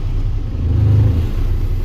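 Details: Volvo grapple truck diesel just after cold start with block heating, air pressure at 0: deep, steady low rumble with a slight swell in revs, no knocks or misses; normal running after cold start.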